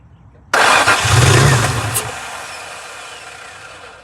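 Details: 2003 Nissan 350Z that won't start: a burst of starter cranking churns briefly and fades without the engine ever catching, so it cranks but does not start.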